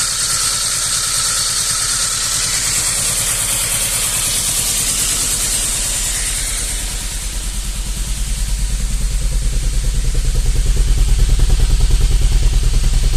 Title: SAAB 900 Turbo SE rough idle